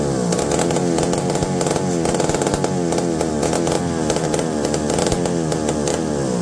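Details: McCulloch D44 direct-drive two-stroke chainsaw, revived after 15 years unused: revs up and falls back repeatedly, picking up cleanly without stumbling; runs good, though owner later suspects the coil needs baking.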